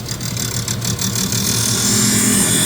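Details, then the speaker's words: Highland Park Lapidary Shaping Machine shaping a jade slab into a teardrop cabochon blank: gritty grinding comes and goes in short bursts, then a steady hiss; the wheel cuts high spots and stops where the stone is already to size. "As you can hear, there are times when the grinding wheel grinds, and there are times when the grinding wheel does not grind. The stone is to size where it's not grinding."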